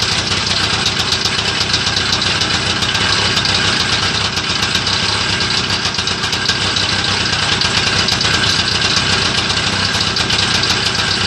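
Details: Homemade Muravey tricycle, first start after repair: a steady, buzzy two-stroke idle, even and fast with a crisp rattly edge and no misses, settling in after starting; normal idle.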